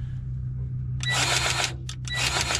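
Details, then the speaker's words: Grease gun on a twin-rotor combine's bubble-up auger gearbox zerk, freshly re-primed: short bursts of crisp clicks with firm solid strokes, no air sputter; gun pumping grease normally under good pressure. "there's a bit more of that clicking noise that's when there's a good solid pressure coming through and it's not air"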